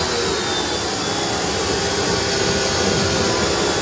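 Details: Wholesun WS 3000 1600W 1.58GPM electric pressure washer spraying after start-up pressurized the line: steady even high rushing hiss with smooth motor hum holding level; pump running healthy under load.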